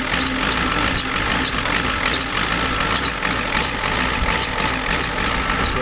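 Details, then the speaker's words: 1993 Ford F-250 7.3L IDI diesel with new injectors, just started at half throttle after sitting Monday to Thursday: a sharp, uneven clatter of about three knocks a second over a rough, smoky idle. The injection pump is out of time. "yeah this thing's definitely out of time thank you guys for telling me that we were kind of wandering but we didn't know for sure but it's got new injectors and look how it runs"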